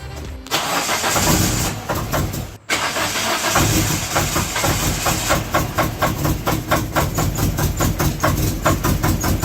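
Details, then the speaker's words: 1996 Mitsubishi Eclipse, first start after valve seals redone and head resurfaced: catches then a fast, even knock tracking engine speed; sounds like bottom-end or rod knock, though owner doubts it since bottom end wasn't touched; cause unconfirmed. "that sounds like bottom end noise what do you think Mister do it sound like a rod knocking"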